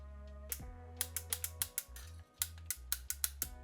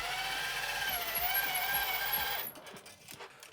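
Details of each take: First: 1985 Tomy Chatbot robot, speaker unplugged, first power-on during repair: low motor hum broken by irregular ratcheting clicks and stalls as the speaking mechanism tries but fails to start; owner suspects the motor. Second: 1985 Tomy Chatbot robot driven by remote control forward, turning and reversing: busy buzzing gear whir with a steady ticking about four times a second, then a clean stop; drive motors work normally.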